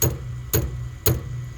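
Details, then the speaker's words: Harman pellet stove with empty hopper, new auger motor: sharp single clicks about twice a second over a low steady hum; auger does not turn despite sprocket and tension adjustments. "let me plug it in and this is the clicking sound that it makes so the hopper is empty Hopper's empty you hear that clicking sound this is what it doesn't turn"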